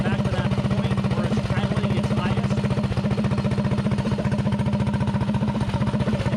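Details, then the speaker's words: Predator 224-powered GTS mini bike with 24 mm PWK carburetor, rejetted: quick, even single-cylinder thumping at steady idle, air screw backed out until idle peaks; clean normal idle. "now I turn the idle down as slow as I can get it soing nice and slow and I back the air screw out till the idle picks up so you can hear it picking up"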